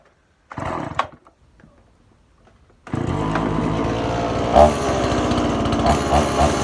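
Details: Stihl MS180 chainsaw that flooded and stalled after a cut or two, repaired by replacing a part: after a few pulls it fires and keeps a steady, even two-stroke buzz with no sputtering or stalling, so it now runs properly.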